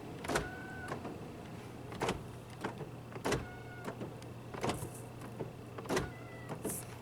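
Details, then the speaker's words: 2004 Honda Accord EX 2.4L sedan with intermittent power locks: lock/unlock pressed, door doesn't unlock; faint clicks and short buzzy bursts from passenger door lock actuator; actuator replacement suspected needed. "Yep, I can definitely hear buzzing from the passenger door lock. So it's a good thing I have both door lock actuators. I think both of these things are going to need to be replaced."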